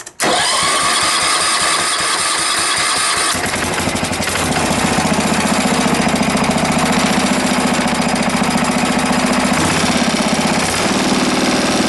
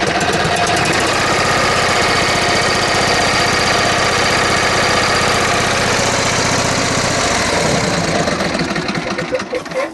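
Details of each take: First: Wheel Horse mower after carburettor removed, cleaned with carburettor cleaner and refitted, started before tuning: catches after a few cranks and settles into steady even single-cylinder beat, no misses; running normally. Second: John Deere riding mower with twin-cylinder engine, barely running: lumpy, uneven beat of about four pulses a second instead of a smooth twin rhythm; inline spark tester shows no spark on the left cylinder, firing on one cylinder.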